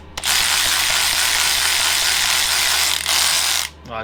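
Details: Snap-on 3/8 cordless ratchet tested after repairing its battery: strong, steady whirr with fast light clicking for about three and a half seconds, then a clean stop at full speed; normal operation after repair.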